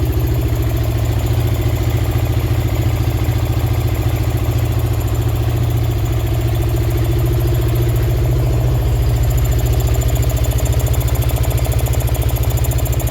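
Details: Honda Karisma 125 with swapped-in Yamaha R15 V3 engine, after fixing a faulty rocker arm and resetting valve clearance to standard: deep, even single-cylinder idle with steady thump, no sewing-machine ticking from the top end; normal idle.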